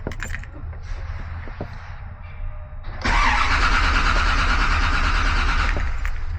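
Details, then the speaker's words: 1956 Bel Air with EFI and an intermittent no-start: the starter cranks steadily but the engine never catches. The scanner shows no injector duty cycle and about 12.3V. The customer suspects insufficient amperage. "If I crank it long enough, it doesn't want to start. Why don't I have an injector duty cycle? It's not firing the injectors."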